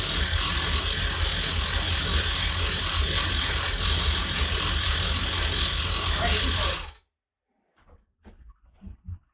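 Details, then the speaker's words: Carbureted third-gen Camaro IROC, first run after over a year of work: fast, fairly even clicking rattle about four per second over a hissy idle; source not pinned down, owner suspects some of it is exhaust. "It is a little noisy. Yeah. I got to figure out what that noise is, though. So some of that noise could be exhaust."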